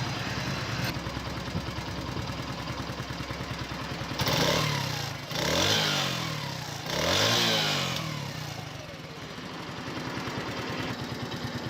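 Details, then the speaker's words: 2021 United 70cc motorcycle, started for an engine sound check: small single revs cleanly in three quick blips and settles back to a steady idle, no rattles or misses. Engine sounds excellent and healthy. "तो आपने आवाज़ सुनी है, bike के engine में बेहतरीन आवाज़ आ रही है।"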